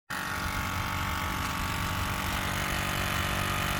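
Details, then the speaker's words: 2007 Ford F350 6.0 Powerstroke diesel, key on engine off: steady whirring hum pulsing about four beats a second as the vacuum pump runs nonstop; vacuum leak letting fumes into the cab. "Alright, so I got the key on. Hopefully you can hear me. That's the vacuum pump pumping."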